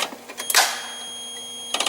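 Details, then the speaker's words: Forklift that won't start: on cranking, sharp metallic clicks come from the starter solenoid, then silence; the starter motor never spins or engages. "so imma try cranking and see if it moves nothing that clicking sound that you hear it's actually from my starter"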